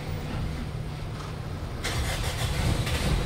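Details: Mitsubishi Pajero Field Master diesel with hard starting when cold, after replacing glow plug relay and high-resistance sending unit: quick single crank catches at once into steady diesel clatter with low rumble; healthy cold start.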